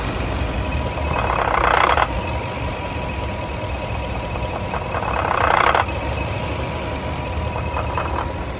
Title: rough idle after engine warm